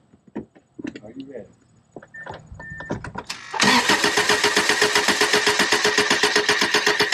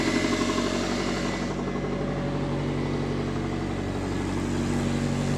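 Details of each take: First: 1999 Subaru after engine install, cold, three spark plugs still in, throttle held wide open: steady starter cranking about 230 beats a minute with even compression pulses for a compression check; healthy, even crank. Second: 1999 Subaru, first start after engine install, assembly lube burning off: loud, raspy idle with fast, uneven puffing chuff from a major exhaust leak, located at the centre section with two clamps on it.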